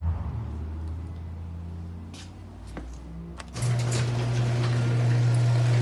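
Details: Garage door opener: low steady motor hum, smooth even run, no banging or squealing; door now operating quietly, normal quiet operation.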